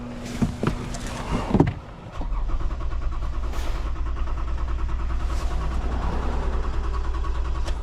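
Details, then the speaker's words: 2015 Toyota Sienna with a crank-no-start, engine speed signal present: after a few clunks the starter spins the engine in a steady low churn for several seconds without firing; it briefly started with sprayed fuel, so a fuel-delivery fault is suspected. "Still not. Let's try one more time. There we go, started. It started for a second, so I'm gonna guess it's fuel."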